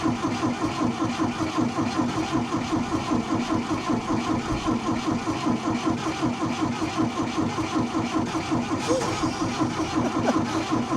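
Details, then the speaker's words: Old diesel tractor, morning start attempt: steady rhythmic cranking around two and a half beats a second, engine firing feebly and smoking but refusing to pick up and run; diesel hard starting. "Smoking, so it must be getting diesel. It's not keen on running."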